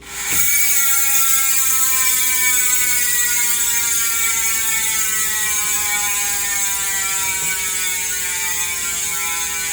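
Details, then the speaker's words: Industry Nine Hydra freehub after clean-up and regreasing (some grease removed to keep the buzz): fast, even, high-pitched ratchet buzz slowly winding down as the wheel coasts, smooth and not harsh; freehub sounds healthy. "not too loud anymore now let's do it that's how it sounds like that's really smooth"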